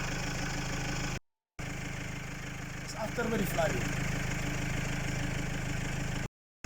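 Steady diesel idle with an even low clatter and no misses in this stretch; it later cuts out intermittently, cause not yet found. Cause suspected, not confirmed.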